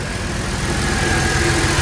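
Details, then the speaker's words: Supercharged Mercedes AMG V6 with 82mm throttle body, 550cc injectors, 175mm crank pulley, warming up at about 52°F after a normal startup: steady smooth idle with light fast injector ticking on top; sounds healthy. "Right now, all you can hear is just injectors. But man, it sounds really good."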